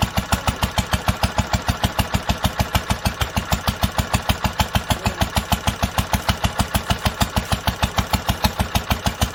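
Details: 1946 International Harvester LBB 3-5 hp water-cooled engine, first cold start after sitting covered a long time, started on the next pull after two choked turns; strong, evenly spaced firing pulses about three per second, steady beat, healthy regular running.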